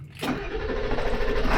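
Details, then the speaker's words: Ford 7.3L Powerstroke diesel truck just after starter replacement: very short crank, catches almost instantly and settles into steady even rumble; normal quick start. "my God so fast holy that was crazy you heard that sound too guys that was awesome"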